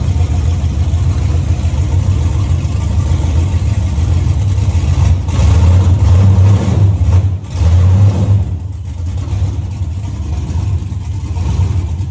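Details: LS-swapped OBS Chevy truck on its first start after three years, cold start: a low V8 rumble revving with an uneven, lumpy beat under throttle. It sounds like a misfire; cause not yet pinned down.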